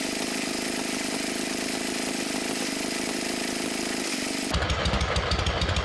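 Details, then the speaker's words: Abandoned MTD mower twin engine, new head gasket on one side, flooded, smoking oil: ragged running a few seconds then falls into uneven coughing pulses; won't keep running because a sheared flywheel key put spark timing wrong. "i don't know about you but it actually sounded like it was starting to do so yes it did it's such a [ __ ] teaser"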